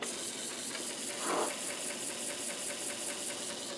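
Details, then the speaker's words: Commodore 1571 floppy drive loading the Flank Speed disc. Quick, even ticking at about five clicks a second over a soft hiss as the head steps and reads; it reaches ready, confirming the heads are good. Normal loading. "loading now it says ready oh look see now it did get something off the disc so the heads are good"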